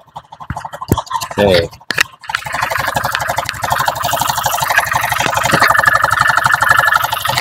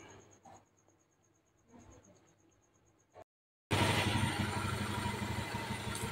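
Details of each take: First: Honda Beat FI idling before repair, run without roller housing and with cam chain tensioner fully tightened: coarse clattery idle with harsh mechanical rattle, worse when tightened; worn piston found, internal engine discoloured. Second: Honda Beat FI scooter after engine rebuild with new piston and rings, fresh oil: quiet ticking at first, then steady even engine roar with no knocks or rattles; CVT and engine smooth, normal running.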